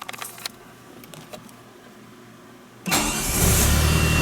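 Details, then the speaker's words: DeLorean DMC-12 starts normally on the second test start after a new rebuilt Eagle Premier-type starter replaced the original 40+ year old Paris-Rhone unit, which had intermittently freespun; a few clicks, a crisp crank, and it settles into a steady idle. "right start number two yeah it sounds good sounds really good"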